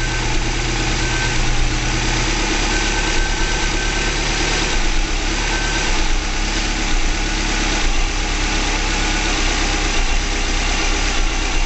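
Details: 2005 Subaru Legacy GT, first start after DIY engine rebuild, low on fuel: steady, even idle with constant drone, no knocks, ticks or hunting; settled and healthy, no leaks found.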